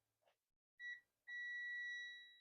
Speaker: It does make it to the chip. Why is it not working?